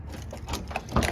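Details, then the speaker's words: Newly bought car on its second day of ownership: the window won't go up. Short uneven whirring and gear chatter from inside the door. The owner suspects the window motor, not yet confirmed, and is removing the door panel. "but yep gonna take the whole door panel off trying to see if it's the motor or not because it sounds like it is"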